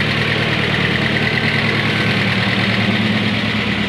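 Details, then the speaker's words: 1993 Ford Ranger idling on cold start after swapping a wire to the main harness post to restore power, steady even low drone with no skips or knocks; oil pressure good, charging, running smoother. "happens that's nice little noisy um everything's dry and drain so should warm up a little"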